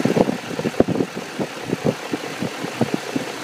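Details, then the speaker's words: BMW E39 540i, M62 V8, very high mileage at 229,000: a lumpy idle with irregular puffs and ticks, a slight engine vibration and a faint internal grinding, with a slapping felt by touch; the source of this abnormal idle noise is unknown. "it sounds like there's almost like a tiny little bit of grinding noise inside the engine"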